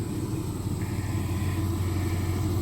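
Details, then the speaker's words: Vehicle after exhaust repair, exhaust fixed but not yet clamped, much quieter than before; deep, even low rumble with no rasp, pops or blowing: normal exhaust. "I got the exhaust fixed on it. You hear it's a lot quieter."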